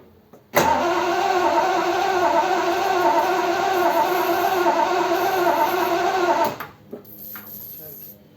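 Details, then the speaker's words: Triumph Stag, off the road about 20 years, after a top-end rebuild with heads just fitted and torqued. Cranked on a borrowed battery at closed throttle, steady cranking with no firing: no spark at the plug, though there was spark yesterday. "Turn it over. Hang on. Do it again. No spark. Well, there was yesterday."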